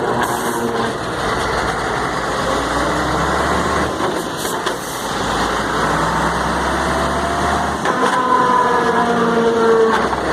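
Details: Mercedes-Benz 1634 truck with gearbox, differential and engine already overhauled: drivetrain rumble with a rising, wavering whine only when lifting off the accelerator in gear, seemingly from the differential.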